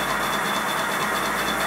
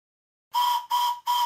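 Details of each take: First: Simplex Prairie Tank model steam locomotive, whistle on compressed air test at about 70 psi (boiler working pressure 90 psi): steady high, clear whistle note over a rushing hiss without wavering. Whistle sounding properly. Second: Simplex Prairie Tank model steam locomotive, whistle on compressed air test at only 30 psi (boiler working pressure 90 psi): three short breathy whistle blasts, thin pitch near 1 kHz, weak and asthmatic from too little pressure.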